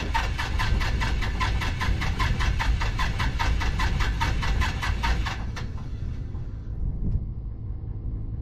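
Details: 1974 Piper PA28-151 Warrior: even cranking chuffs for about five seconds with no firing, then the starter stops; no start due to bad magneto.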